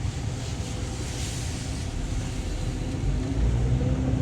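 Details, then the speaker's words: Car test drive after valve cover gasket replacement: steady low engine drone under light load with road noise, no misfire or stumble; runs smooth, though a torn, taped air intake tube causes a massive vacuum leak. "alright so it's driving as good as you can't drive it's way better engine is running smooth"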